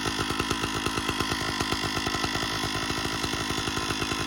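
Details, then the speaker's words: 056 AV Super chainsaw run with clutch removed: rapid clattering rattle about ten times a second persists, confirmed coming from the engine; later teardown found no conrod or crankshaft bearing play, cause unconfirmed. "it is coming from the engine"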